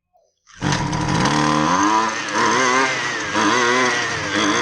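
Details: Husqvarna 128LD string trimmer with sidewalk edger attachment, after carburetor refresh and adjustment screw tuning (previously ran only on half choke): small two-stroke fires at once and revs smoothly with a clean buzz, no stumble.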